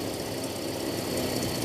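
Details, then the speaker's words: Toyota Kijang petrol carburettor engine, complaint of high fuel use, idling: a quick, rough puffing chatter that sounds like an exhaust leak; the air setting is adjusted to smooth the idle and distributor timing is judged slightly off. "Suaranya seperti knalpot bocor."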